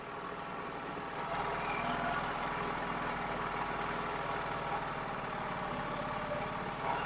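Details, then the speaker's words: Honda Activa scooter idling, multimeter on charging line reading 24–30 while the air/mixture screw is loosened for mileage adjustment: steady quick putter that picks up slightly as the screw is eased out until highest reading. "இப்போ நம்ம இது கொஞ்சம் கொஞ்சமாக நம்ம loose பண்ணிகிட்டே வரணும். எங்கே வந்து அதிகமான ஸ்பீடு அதிகமாக வருதோ அதிகமான ரீடிங் அதிகமாக காட்டுதோ அந்த இடத்துல நம்ம ஸ்டாப் பண்ணிடணும்."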